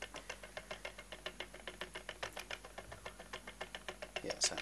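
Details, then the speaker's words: Toyota Prius four-pole motor on test rig at very low speed. Crisp evenly spaced clicks about three and a half per second, each a drive step: normal commutation clicking. "each time that hole shows in the reflection that's one po the that should be 12 clicks"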